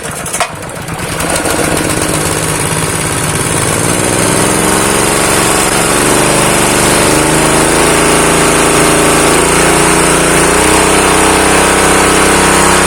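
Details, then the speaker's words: Honda GX160 pump engine, previously seized with lost compression and dying when throttled (suspected dirty carburetor jet from long idle), choke closed, throttle opened slightly: catches quickly and settles into even putter, speed creeping up; normal idle, no longer stalling. "Nah, ini sudah nggak mati lagi nih."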